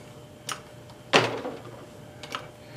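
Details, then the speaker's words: 1970s hydraulic floor jack after the rebuild, locked and pumped up: sharp metallic clicks with gurgling, and it is working normally. "So now what we're going to do is we're going to lock it and then just keep pumping it up. You hear it gurgling."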